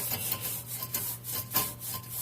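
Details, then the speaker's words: 2006 VW Jetta 2.5L front passenger-side hub, car on jack stands, hub turned by hand: rough rasping scrapes about three per second; a worn front wheel bearing that grinds, before hub replacement. "I thought I'd show you how it was bad I'm not supposed to be any play in it come on it turn it's not supposed to make any noise"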